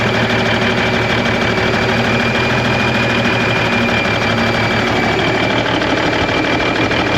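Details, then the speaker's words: 1991 Freightliner, Cummins NTC-365 with bad throttle lag, fed from a fuel bucket bypassing the ECM cooler plate: loud, uneven, lumpy clatter, running rough and sounding worse; fuel delivery possibly at fault, unconfirmed. "sounds like we made it worse well that's not the direction we want to go"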